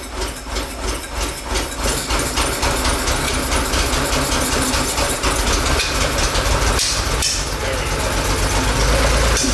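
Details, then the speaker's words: 1969 Porsche 911 T after misfire and power loss, carburetor jets blown out and cleaned: engine runs and revs fairly evenly, pulling up cleanly without stumbling or obvious misses; idle and carb sync still to be adjusted. Normal running after repair. "so i think we got it sounds pretty good idle's gonna be adjusted a little bit"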